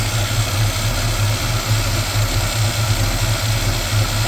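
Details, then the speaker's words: 1987 Chevrolet V10 V8 with a new Carter fuel pump, primed by sucking the line: a deep, even thrum with no knocks, misses or hunting, a healthy idle; the owner is unsure why the filter is not full. "Not sure why that's not full. But it's running."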